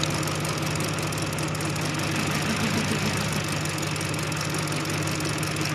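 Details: Rough idle with engine light on, pending code: uneven stumble about three beats a second over a low hum; spark checked per cylinder, the number two ignition coil found faulty by resistance reading, causing the misfire.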